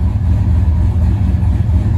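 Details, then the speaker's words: Turbo LS with Holley EFI, idle target AFR raised to about 14.5, reading around 14.5, IAC in the 6–10% range: deep, steady, lopey idle with an even low rumble and no misses. Normal idle. "Okay. So we're reading at like 14.5 is where it's trying to target, and we're bouncing around right about there on the motor. IAC's in good shape."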